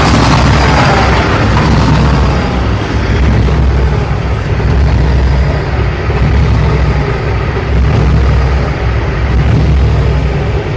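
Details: 2005 International 9400 with a Cummins ISX idles with a deep, lumpy, uneven rumble while the dash beeps; air leaks into the fuel system through a heat-warped lift pump mounting plate.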